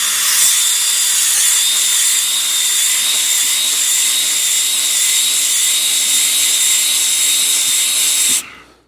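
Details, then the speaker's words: Honing a tapered engine bore with a DIY rigid hone and drill, after a cardboard shim and 3/10 thou taper at the bottom: even, steady-pitch drill whine through each stroke, no dragging or surging; consistent hone speed, taper gone. "already we're getting consistent tone and and speed as we go up and down. The taper is now gone."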